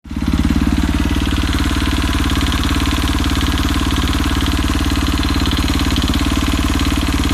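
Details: KTM RFS engine at steady idle with a sharp, even tapping about three times a second over the exhaust beat; a knock inside the engine, cause unclear.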